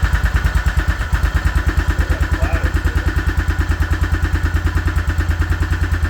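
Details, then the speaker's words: Suzuki Vinson 500 quad, single cylinder, coolant blown out of the cylinder and initially would not crank: thumps along at about three even beats a second, lumpy and hard-hitting underneath; owner suspects a knock from coolant in the cylinder. "I think it's got a knock wouldn't be surprised cuz it's got Cooling in it"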